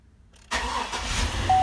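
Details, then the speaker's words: 2003 Chevrolet Avalanche 5.3L, which had been intermittently starting and shutting off; a wrong crank sensor had been fitted. After the fix, a short crank and a prompt start settle into a steady idle, and the scan tool now reads 600 RPM where it read nothing before. "See, 600. The RPM, the revolution per minute is reading."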